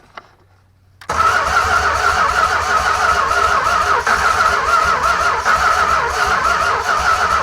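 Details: 1965 383 V8 from a junkyard, first start after 30+ years sitting, new distributor fitted and carb bowls filled: after a short crank it fires and holds a ragged, uneven idle; plugs had been wet and black.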